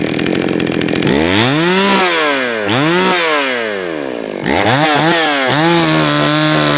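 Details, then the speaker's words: Jonsered 525 chainsaw just fired up and tuned a little, oiling well: revs climb and sag unevenly with hesitant stumbles between pulls; stumbling, possibly rich. "you might be able to see it's oiling really well it is doing this weird thing where it's stumbling and stuff"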